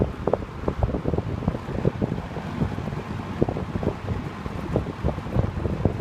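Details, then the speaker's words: 1970s TG&Y Golden T (Champion) box fan on high speed: steady rush of air over a low motor hum with a slight startup sound, no rattling or rubbing; healthy fan running normally. "Mine might not be as powerful as his, but it does throw out a good breeze. It's high. And it does have a bit of a startup sound, but it's not as pronounced as his, which has the Westinghouse motor."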